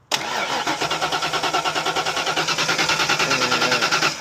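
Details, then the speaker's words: 1991 or 1992 Ford Mustang Foxbody convertible, no start after a fuel pump replacement, battery recharged: steady even starter cranking, about three beats a second, with no firing; gauge shows no fuel pressure. "it's showing 10 PSI over there, which means we ain't got none. I'll drop my gauge again back down to zero. No, it is not getting fuel."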